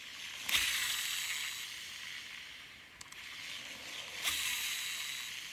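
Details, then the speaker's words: Shimano Exsence DC baitcasting reel after a DC module replacement, spool reeled by hand with no lure: a faint high-pitched whir and hiss, the DC brake whine now much more apparent. "Now you can hear it, the DC sound, right? Just go back to the start of the video and try to listen again the DC. You will not hear the DC sound, but now it's much more apparent."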